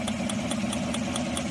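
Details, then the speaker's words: Chevy 5.3L truck at idle: sharp crackly snaps about every fifth of a second; misfire from a worn spark plug wire off the coil on cylinder one, arcing. "right that's got a misfire come to find out plug wire is actually off the coil"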